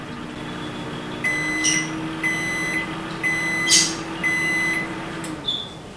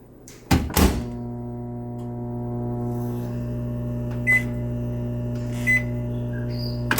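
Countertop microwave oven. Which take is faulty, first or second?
second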